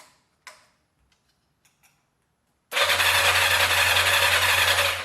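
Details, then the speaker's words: 1986 Yamaha FZ600, not run for 20 years, freshly installed battery, about 95°F: after clicks from a faulty starter switch, steady fast whirring spin for about two seconds; starter turns engine over normally, carbs not yet fueled. "but that is a spinning motor let's see if we can get some gas in these carburetors see if we can start this bad boy"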